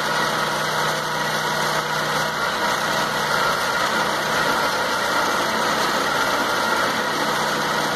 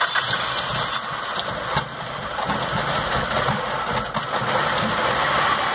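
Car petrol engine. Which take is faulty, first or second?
second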